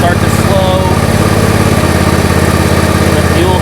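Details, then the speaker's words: John Deere mower being winterized, fuel shutoff valve closed after running 5 minutes with fuel stabilizer: single-cylinder chug about 3.5 beats a second turns uneven and sags, stumbling toward stall; fuel starvation confirms valve works. "Now this may take a few minutes, but you'll start to hear the engine sound funny. You'll start to hear that it is starving for that fuel."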